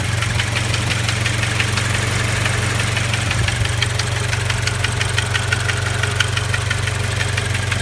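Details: Toyota GT86/Scion FR-S/Subaru BRZ boxer at about 70,000 km, idling after 20 minutes of driving: light regular metallic rattle about three ticks a second; cause was the vacuum pump, replaced by Toyota.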